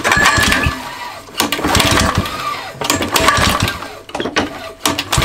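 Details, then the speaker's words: Mountfield Emblem 2-stroke lawn mower, carb cleaned last year: repeated short firing bursts that sputter and die, sprayed with flammable spray; owner suspects carb sticking or a fuel problem; fires but won't keep running. "it might be sticky but there's obviously a fuel in trouble somewhere"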